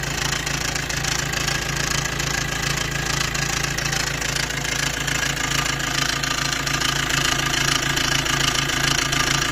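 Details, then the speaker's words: Maruti Dzire petrol engine at idle, recorded near the engine after startup: a loud metallic chatter over the hum from a worn timing chain set that is due for replacement. "तो वहां पे आप देखना इसकी कितनी ज्यादा noise है की कितनी ज्यादा आवाज ए रही है आप देख सकते हो"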